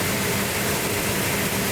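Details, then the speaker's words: Client's 340 Plymouth Duster V8 after restoration, first start on its own power with choke held and distributor being advanced: steady, even run with no knocks or misses; sounds healthy, normal running. "oh it sounds good yeah fantastic yeah awesome awesome yeah good job"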